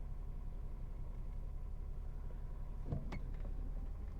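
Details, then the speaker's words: VW Corrado at its season opening, first start after changing spark plug wires, following a trembling problem, a broken plug wire and a fault-code check: low, uneven idle with irregular stumbling, roughly two to three pulses a second; the owner found one plug wire loosely attached. "This was the first start. This doesn't sound right."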